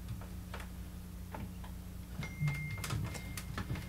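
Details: Trash-picked JVC PC-X560 CD boombox, coins removed from inside: quiet irregular ticks and clicks as the laser keeps restarting its search and fails to read the disc; it seems to happen when pressing a certain spot.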